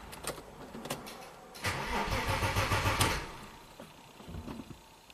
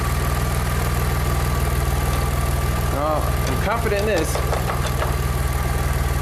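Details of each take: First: Engine-swapped Audi A4, crank no-start with no trouble codes and weakening battery: slow tired cranking about three beats a second, never fires; no rpm signal, later traced to damaged crank sensor wire. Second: Engine-swapped Audi A4, after repairing sensor wiring (solder, shrink wrap, tape) that caused crank no-start: steady even low idle, no stumble, knock or hunting; running smoothly.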